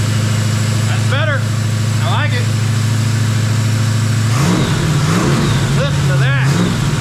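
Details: Jeep XJ with swapped 350 V8, after valve adjustment fixed the dead cylinders: a steady, even idle that picks up cleanly on two quick throttle blips with no misses or stumbles. It runs on all cylinders.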